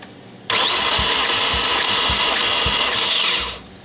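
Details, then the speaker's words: 2005 Audi B6 S4, cold engine, dry compression test with gauge on one cylinder: even starter whir with about four compression pulses over three seconds; normal cranking, cylinder reading strong and holding. "you'll see that when you crank it you only want to crank the the motor for about four revolutions you'll see the needle jump about four times"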